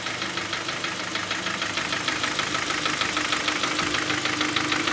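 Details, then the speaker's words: Hyundai Sonata 2.0 G4KD petrol, 175,000 km, knocking after winter: sharp regular knock about three a second at idle, piston slap from scored cylinders. "Как вы все прекрасно слышите стучит стучит задиры естественно по цилиндрам пошли поршня брякают от этого стук"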